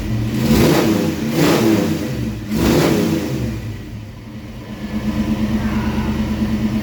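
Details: 1995 Ford Mustang GT 5.0 five-speed, no catalytic converters, new alternator fitted: three clean throttle blips, drops back to steady even idle with no stumble; engine healthy.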